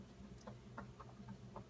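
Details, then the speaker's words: New Whirlpool French-door bottom-mount fridge knocking from the day of delivery, close to the fridge; quiet hum with scattered irregular soft knocks, occurring several times a day for an hour or more; cause not identified. "It's definitely a knocking. It happens several times a day for an hour plus at a time."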